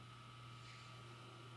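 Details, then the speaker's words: Admiral JSJ-20434 VHS VCR switching to higher-speed fast forward: an even low motor drone with a steady high whine over it, no catching or squealing. Runs smoothly. "oh wait it stopped and now it's doing a higher speed fast forward that's excellent dude you can hear that"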